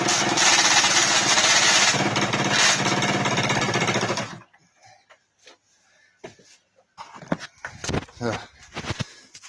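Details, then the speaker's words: 1999 SYM Jet 50cc two-stroke scooter, previously non-running (no spark), after exhaust refitted: crisp buzzy rev held strong and even about four seconds before shutting off; healthy. "answer to will it work yes it will"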